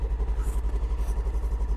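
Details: Polaris Ranger XP1000 NorthStar Trail Boss Edition, fuel-injected, idling right after a cold start at 26 below zero with auxiliaries off to save battery: steady, even, deep, smooth idle thumping about eight times a second with no knocks; normal cold-start idle.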